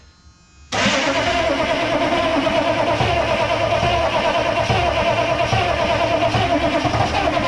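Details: M1009 CUCV military Chevy K5 Blazer diesel, unstarted for over two decades, cranking without ether after work on the high-idle solenoid and timing advance: the starter turns it steadily for seconds and it chugs but never catches.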